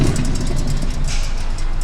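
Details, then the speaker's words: Hand-spun car wheel gives a loud, rough metallic grinding rumble from a bad wheel bearing; the whole hub visibly moves back and forth, and the noise is also audible inside the car. "hear it's pretty loud there's a metallic grinding noise"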